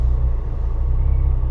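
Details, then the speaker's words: Bentley Continental GT pulling away on its first drive, believed to be running on only half the engine: a low, lumpy rumble that surges and sags under load as the engine tries to die and nearly stalls. "Ooh. It's trying to die. Come on. This is not off to a good start."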